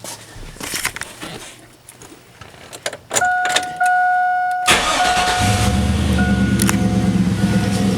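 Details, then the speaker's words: 2001 Chevy Silverado 5.3 Vortec V8 started just after a Flowmaster Delta Force cold air intake install: smooth, even idle with no hiss or stumble and no suction leaks felt. The exhaust note is slightly more drummy. Healthy. "just listen to that crispy running good back over here at idle a little bit change in exhaust note i can hear to my ears it's a little bit more a little bit more drummy now"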